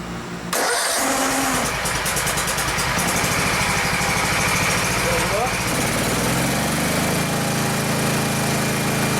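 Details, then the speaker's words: Gravely 144Z zero-turn mower with 17HP Kawasaki FH500V engine after cooling fan replacement, which had shaken badly before: starts right up and runs steady, smooth and balanced; normal running, much less vibration than ever. "well I made it I made a considerable difference in it Iran's better than it ever has since I bought it"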